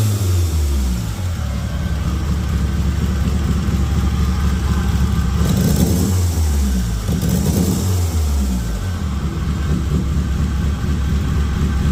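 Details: Metro Turbo after rewiring, with spark and fuel present: revs up and down with an uneven, lumpy beat that stumbles instead of pulling cleanly. Cause unknown; owner suspects timing or coil leads swapped (1-4 vs 2-3). Misfire under revving.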